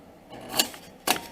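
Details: 2001 Nissan Sentra starter, removed and bench tested on a battery charger: two sharp metallic clicks with no motor whirr, solenoid engages but motor never spins; bad starter, to be replaced.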